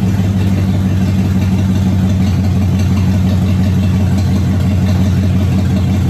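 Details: Car nicknamed Abe running for the first time since 2019 after new fuel pump, tank cleaning and new starter: even, steady engine note with smooth low rumble, no knocks or misses; running cleanly.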